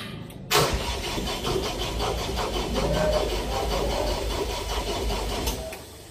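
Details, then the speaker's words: Atlas Copco XAS 156 screw compressor with black-smoke problem, rubber coupling replaced: steady rhythmic starter cranking for about five seconds, engine never fires; cranks but fails to start after tinkering and "magic". "ayun mga boss hindi umubra yung ating medyo kalikot kalikot ng ano at hindi rin yung ating magic"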